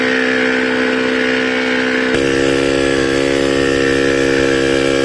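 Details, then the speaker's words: Royal Enfield Diesel Bullet single-cylinder diesel (Lombardini/Greaves) after piston-slap rebuild and injector timing set: slow, even thump about four beats a second, no slap or rattle; healthy idle. "Firing और आइडियल तो परफेक्ट लग रहा है।"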